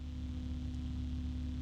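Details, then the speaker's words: EK Furious Meltemi 120 PC fan on a fan controller, compared with a Noctua NF-A12x25 at the same RPM: steady low hum with a soft, even rush of air and no ticking or rattle; slightly louder than the Noctua, running smoothly. "now at at this speed it's still louder than the noctua but not a lot I mean I can still hear than UA but it's"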